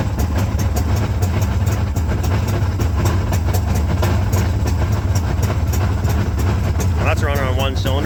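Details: Old Ultranautics Jetstar jet boat being revived after years unused; fuel not priming. Low, lumpy idle with a regular uneven pulse, as if only one cylinder is firing; a misfire, likely from fuel starvation.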